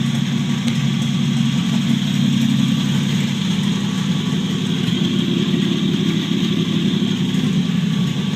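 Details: 1949 Chevrolet Deluxe 4-door, first start after swapping a used engine in for the locked-up original; no exhaust fitted so it's loud. A little putt-putt then fires up into a raw, steady, even idle with no misses or knocks; healthy.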